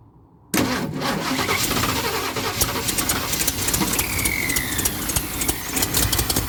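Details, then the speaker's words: 1976 Ford F250 crew cab V8 parked almost 17 years, battery charged, hoping the fuel pump picks up; silence, then it catches abruptly and runs raggedly with uneven pops on poured-in fuel, possibly flooded with too much gas. "yeah she's running a little bit my neighbors love me if you can't hear that a little bit more gas I think I just drowned it"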